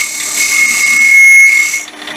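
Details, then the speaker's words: Wood lathe turning a thin walnut honey dipper: a high steady scream over the hiss of the cut as the thin spindle vibrates and chatters against the tool. "When you hear that screaming, that's vibration."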